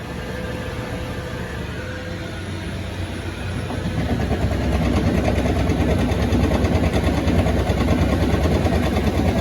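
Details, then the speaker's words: IS1100L+ sweeper, 243 hours, near full charge, main broom lowered: steady drive hum with rhythmic thump about three times a second from the broom housing; debris suspected, possibly sloppy drive pulley on motor shaft key and drifting belt; unconfirmed. "I've got a noise in there and um until I open it up I really could I can speculate that it could be some debris issues"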